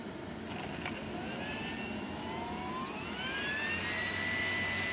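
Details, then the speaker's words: E-flite Conscendo S electric motor run up after re-securing a thrown folding prop blade: whine climbs with throttle with a faint wavering oscillation; prop imbalance suspected, likely the repaired blade being heavier, not confirmed. "A little bit of oscillation right now. You can hear it."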